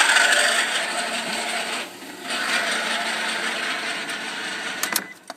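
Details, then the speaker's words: 1999 Isuzu Rodeo 3.2 V6, 2WD automatic, at idle: steady rough scraping, rubbing hiss that goes away at 2,000 rpm; the off-center idler or hydraulic tensioner pulley is suspected to have worn bearings, unconfirmed. "and that noise goes away when you rev up to 2,000 RPM well if you look that pulley is off centered and I think it's worn out the bearings inside of it"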